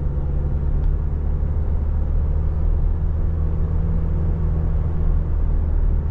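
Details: 2023 Toyota Tacoma SR 4x4 with the four-cylinder engine at 1,801 miles, driven in the dark. A low, steady, even drone sits under the road noise, with no knocks, ticks or whine. The truck is quiet and the engine is running normally.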